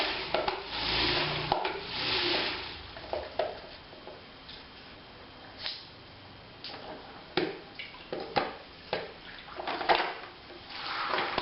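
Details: 3M spin mop after repair (spinner screw mechanism removed, cleaned and regreased) that had been noisy and stiff: only soft water swishing in uneven bursts as it spins, no grinding or squeal; normal operation.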